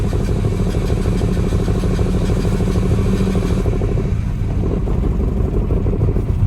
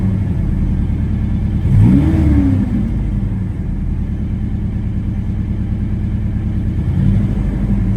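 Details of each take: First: Chevy S10 with hard starting, fuel pressure only 41–47 psi from a weak pump, recently replaced injectors: deep lumpy note wavering and sagging as throttle is feathered, barely staying running; suspected bad pump and injectors. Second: Chevy S10 pickup after replacing bad injectors and fuel pump (had hard starting; earlier misfire traced to bad valves): steady idle rises smoothly into a clean rev and settles, no stumble; fuel pressure now increases when pressing the gas, normal revving.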